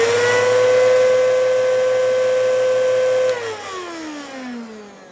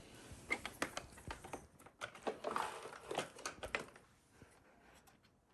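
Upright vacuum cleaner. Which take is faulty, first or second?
first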